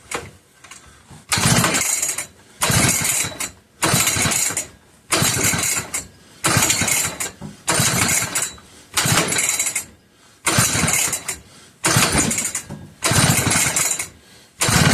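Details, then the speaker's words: McCulloch 1-52 chainsaw clamped in a vise, freed up with strong compression and spark confirmed: repeated recoil pulls roughly every second and a half, each a short rasp with no catch; hard starting, owner suspects no fuel and adds more. "Come on, old girl. I know I had spark. You saw me. I just checked it."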